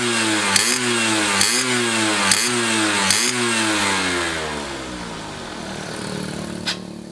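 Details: Restored Yamaha F1ZR two-stroke with a rebuilt stock (STD) engine and full clutch: crisp ringing blips rev up about four times and settle back cleanly, no rattle or misfire; healthy after restoration.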